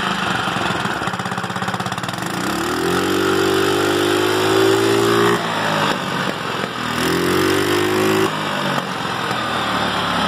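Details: GY6 scooter that started but lacked power and would not rev, after replacing the CDI: even idle, revs rise smoothly and drop back twice without stumbling or cutting out; ignition now working properly.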